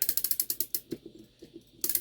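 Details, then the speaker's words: Shanghai 555 mechanical clock after cleaning: quick, crisp, even ratchet clicks with each key turn while winding the mainspring, no slipping or grinding; normal, smooth winding. "Oh yeah, they sound nice and smooth. The way they wind is really good."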